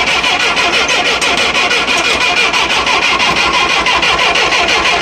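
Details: 1966 Clark forklift, gasoline flathead four-cylinder Continental, sat six months, choke pulled, fuel pump clicking: steady fast cranking about three turns a second, never catches; cranking no start.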